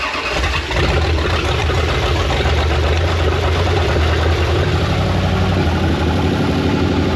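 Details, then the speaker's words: 1969 Dodge Charger V8 sitting since 1992, first start with carburetor bowls filled: fires and holds an even, throaty idle through open pipes, no lifter ticking, oil pressure rising; normal idle. "Well, it sounds like it has oil pressure because the lifters aren't going like clickety clickety clickety. But dude, it just fired up and idled."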